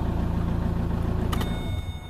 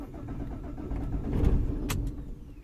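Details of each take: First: 2007 Vauxhall/Opel Vectra 1.9 diesel Z19DT after engine swap, after correcting swapped rail pressure sensor and regulator wiring to ECU: even, regular diesel clatter at idle, no misfire or stumble; normal idle. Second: 2007 Vauxhall/Opel Vectra 1.9 diesel Z19DT after engine swap, P0088 code: starter cranks steadily, engine catches briefly then dies; crank no start caused by swapped rail pressure regulator and rail pressure sensor plugs.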